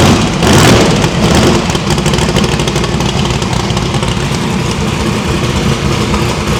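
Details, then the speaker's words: Drag-race V8 after new PAC valve springs, headers still cold; blips up then settles to an even idle; after running on four plug wires, it now runs clean with all eight reconnected. "well after firing it up on four spark plugs it did in fact sound much better on eight"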